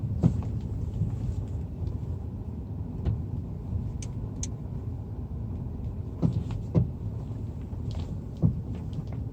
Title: Стук подвески